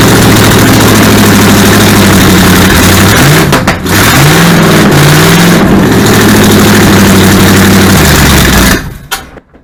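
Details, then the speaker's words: Supercharged V8 in a 1959 Vespa microcar after ignition timing advanced: fires with a lumpy, uneven beat that smooths as timing comes up, then stumbles and dies, out of gas. "Yeah, because that'd be advancing. Yeah. I'll go even further. Try that. That's a lot closer."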